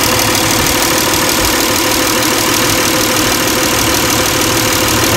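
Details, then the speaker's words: 2002-2006 Toyota Camry 3.0L V6, warm idle around 700 rpm, ECT sensor connector pulled and replugged: idle smooths when connected, hunts and stumbles more erratically when unplugged; erratic idle from unplugged coolant temperature sensor. "okay so here we go back on smooth out it gets more erratic as i take it off"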